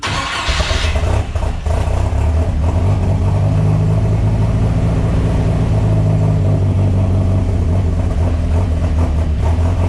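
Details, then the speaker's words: Turbo boat engine in 6-speed swapped IRS S10, cold idle after fuel pressure dropped from 45 to 12 psi: cranks, catches within a second, settles to steady even low rumble at about 12.5 cold idle, no misses or knocks. "We now have 12 pounds of fuel pressure. Cold idle is about 12 and a half. That's reasonable."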